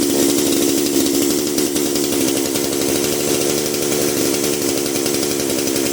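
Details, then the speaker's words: Dolmar PS-510 chainsaw after ignition coil replacement for no spark: fires after a little assistance, then holds a steady, even high two-stroke buzz with no misses or stumbles; normal running. "Alright, she fired up. She just needed a little assistance at first. Sounds good though."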